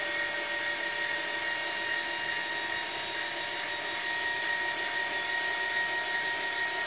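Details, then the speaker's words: Celestron CGEM telescope mount slewing in right ascension after DIY hypertune with new bearings: steady high motor whine, starts quiet then gets louder; owner suspects gear binding or stiction, cause unconfirmed; loud gear noise. "I noticed it also in right ascension about there it's quiet right before it hits the stop you'll notice it'll start quiet and then get louder"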